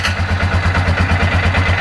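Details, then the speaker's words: 2011 Polaris Ranger 500 single-cylinder after full motor rebuild, first start: even steady low idle thump, no knocks or ticks, much quieter than before the rebuild; oil checked afterward at normal line. Normal idle. "All right. That's actually nice and quiet. Way quieter than what it was."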